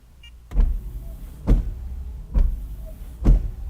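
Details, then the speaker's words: Honda/Acura wipers run through a Launch Creader Elite 2.0 scan tool actuator test. Four even thumps about once a second as the wipers sweep and park. Normal wiper operation. "I'll do actuator test. And watch this. I can make the wipers go on and off."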